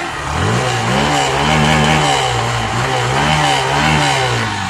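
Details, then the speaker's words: Hero Passion Pro BS6 fuel-injected bike after fixing a starting and slow-idle complaint: the engine blips up and falls back cleanly with no stumble, holds a steady idle, and the MIL is off; fault was the fuel pump. "ஆயிடுச்சு. வண்டி வந்து திராடல் ரெஸ்பான்ஸ்ும் பக்காவா இருக்குது. அதே மாதிரி நமக்கு வந்து slow ஸ்பீடும் வந்து பக்காவா நிக்குது."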